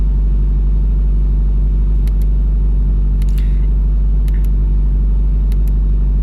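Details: Subaru WRX FA20DIT on Speed Density tune, cold-start idle: low steady idle with uneven beat and occasional stumble; P0303 cylinder 3 misfire (plus P0000), only at startup/idle, fine warm and at WOT; plugs 1 and 3 replaced, oil on cylinder 3 plug, owner suspects internal issue.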